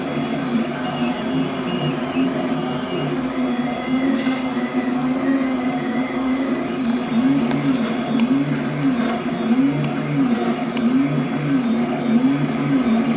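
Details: Flux 3D printer after fitting stepper motor vibration dampers that mechanically detach motors from brackets: soft even whirring with gently rising and falling motor tones, no harsh high whine; quieter, less high-pitched running.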